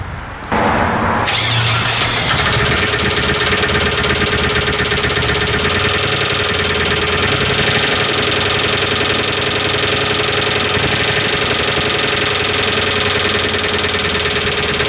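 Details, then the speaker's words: Chevy S10 Blazer 4.3 V6, first start after intake manifold gasket and distributor install: loud steady run with dull knock under idle; no bearing material in oil filter, owner suspects rod knock or torque converter bolt, unconfirmed. "because it's a strange noise it's probably a rod knock and I'll accept that probably in about 15 minutes"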